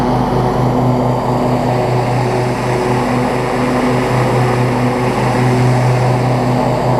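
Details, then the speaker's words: Three-year-old Husqvarna rider mower with a 24 hp Briggs & Stratton V-twin and 48-inch deck, after an oil change and a fix for an oil leak from a loose filter; a steady V-twin drone with no misses or knocks, running properly. "it runs perfectly just like any three-year-old lawnmower should idles down exactly the way it needs to pto works great deck works great"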